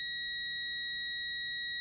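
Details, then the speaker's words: Lidl Parkside DM300 C3 multimeter on continuity test: steady, unbroken high beep with no sampling clicks, stopping very quickly when the connection is removed. Normal, solid continuity response. "let see how quickly it stops beeping when I remove the connection that seems very quick on and off that's exactly the way it should be"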